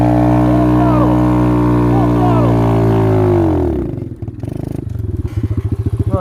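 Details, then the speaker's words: X-PRO single-cylinder dirt bike on trail: steady buzz sags, then stumbles and pops about three beats a second, nearly stalling; owner suspects the carburetor, not confirmed. "I don't know why my damn carburetor is acting like this."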